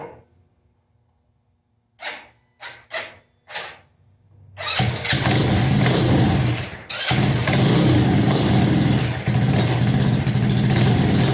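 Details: Custom Icebear Maddog scooter with 171 big bore kit, upgraded clutch/variator and custom Coffman exhaust, first start after long sitting, carb refitted, starting fluid used; cranking bursts catch into loud uneven running, won't rev right, air filter off (suspected).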